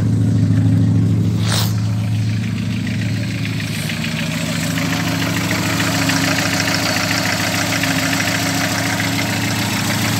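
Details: Cold first start of the morning on a VW AP engine (G1) with a Weber TLDF carburetor: the engine catches and settles into a steady, even idle with a smooth low thrum and no misses or knocks. Elsewhere low fuel pressure and worn spark plug wires were found.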